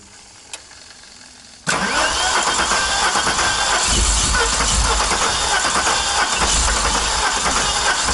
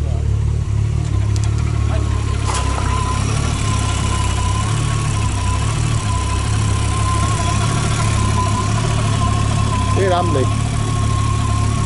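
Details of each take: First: VW Golf 3 VR6 Turbo, about 500 PS, first start: catches abruptly and runs loud, rough and stumbling. Fault is in the ignition, not fuel; this is how a wrong firing order sounds. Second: Golf 3 VR6 turbo (about 500 hp) on its first test run, charger at up to 150 degrees: steady, even low idle with a faint constant whistle and no knocks or misses; sounds healthy.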